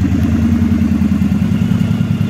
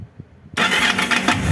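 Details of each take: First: Yamaha DragStar XVS 1100 after extensive service including starter clutch and timing work: even, deep V-twin thump at steady idle, no rattles or misses; running properly. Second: Yamaha DragStar XVS 1100, warm engine: a few faint low thumps, then a harsh metallic clatter as the starter engages, from a slipping, worn starter one-way clutch; clicking also heard at shutdown.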